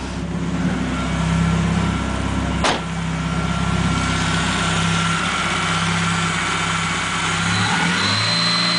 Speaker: Okay, we have a slight problem. Car makes a squeaking sound when you touch the throttle.